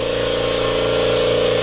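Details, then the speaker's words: Kobalt Quiet Tech 26-gallon single-stage 150 PSI electric vertical air compressor building pressure from 0 to 150 PSI in about 5.5 minutes: steady, even mid-pitched motor hum with no knocks or rattles, far quieter than the old compressor; normal running. "80% quieter, yeah, it's 1,000 times quieter than any air compressor I've been around."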